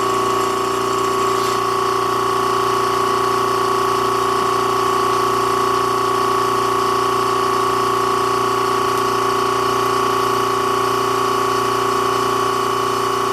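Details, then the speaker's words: Vacuum pump bagging a 3-inch composite motor tube on the second attempt: steady, even drone with a constant tone near 1 kHz, running nonstop because the vacuum bag is leaking on both sides; plugging the leaks lengthens the pauses between pump cycles. "something over here is leaking something way over on the other side is leaking so this is that gooey so as you slowly plug the leaks you kind of know you're gaining by how much time there is in between periods of the vacuum being on"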